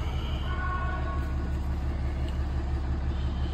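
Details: 2016 Dodge Ram with a Cummins 6.7L diesel idling after a turbo actuator replacement for code U010C, no calibration needed, and no check engine light. Steady low clatter with an even, unbroken beat and no hunting or surging; normal diesel idle.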